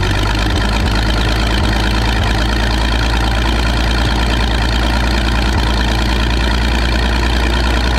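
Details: Michigan 35A wheel loader's old flathead, revived after sitting in weeds (broken spark plugs removed, compression restored, a cleaned connection made it run better): steady even low chug, unbroken rhythm, no misses or knocks; idling cleanly.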